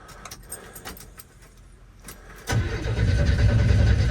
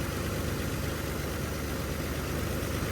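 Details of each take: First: 1981 Chevy C10 cold start just after a spark plug change, with the foot on the gas; one old plug was wet with oil. Weak, quiet cranking for about two seconds, then it fires and runs rough and unsteady; hard cold start. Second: 1981 Chevy C10 square-body ranch truck idling in the yard after spark plug replacement: even, steady low rumble with no misses, stumbles or knocks; the new plugs made a noticeable improvement.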